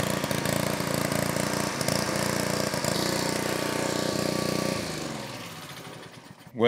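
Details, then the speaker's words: Honda Excell 2600 pressure washer with water running through it, started with choke: small engine runs steady and even at full speed with no load change, then shuts down; no pressure, owner suspects the unloader valve. "it clearly started but there is no pressure so this may not necessarily be a engine won't start but more of a no pressure issue we clearly have no pressure"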